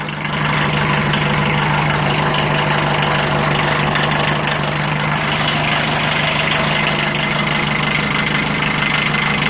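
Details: 1980 VW Rabbit MK1 1.5L diesel just after timing belt replacement, belt tension possibly a little tight: even diesel clatter at a steady idle, no uneven knocks or belt squeal; idling as a healthy diesel should.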